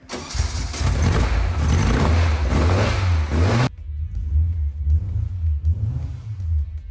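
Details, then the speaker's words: Newly installed engine in the Speedle build, first fire-up after turning on the fuel pump: catches right away and settles into a deep, steady idle with no knocks or misses; sounds really good, a normal idle. "it runs yes it does it sounds sounds really good from here"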